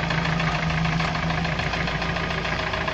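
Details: UAZ 417 petrol engine idling with a steady, dull knock, roughly three to four beats a second, after replacing camshaft gears, camshaft and camshaft bushings; engine quieter but still knocks.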